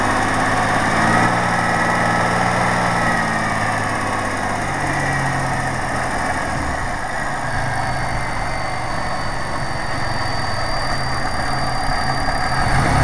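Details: 1997 Pontiac Grand Prix GTP V6, just after new spark plugs, wires and an oil change: smooth idle with a light, fairly even tick about three per second; owner suspects a lifter or possibly injectors, unconfirmed.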